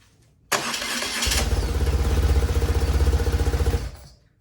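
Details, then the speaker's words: BMW R1100 RT after fitting a replacement starter following a no-crank fault: brief starter whir, then the twin catches right away into an even, steady thumping idle; problem solved. "Problem solved."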